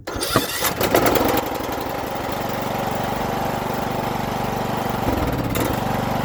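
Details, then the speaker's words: Riding mower after clearing hydrolocked cylinder flooded with gas, on third start attempt: brief cranking, then catches and settles into steady, even idle with no stumbling; clean start, running healthy so far. "three got her so far so good"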